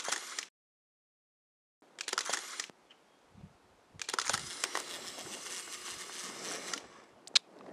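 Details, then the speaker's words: Rollei Magazin 70 motorized 70mm film back on a Rolleiflex 6000-series camera, continuous mode: short whirring motor bursts, then a roughly three-second wind as the roll runs out and the red light lights; normal operation. "it runs out of film, it detects that and the red light lights up and you hear it wind for that extra period of time."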